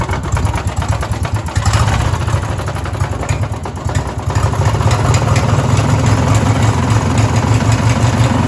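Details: Race mower small single revving unevenly with loose knocking under the exhaust, roughly three beats a second; owner suspects rod knock and fears it may blow up, cause unconfirmed.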